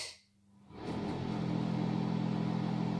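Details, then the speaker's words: Bathroom/toilet exhaust fan (aspirator), 220 V, before repair, noise sometimes rising: loud steady drone with coarse rattling hum underneath, noisier than it should be; cause not confirmed. "bakalım ne kadar ses ya bu zaman zaman sesi birazcık daha arttırıyor Hadi gelin sesini soluğunu keselim"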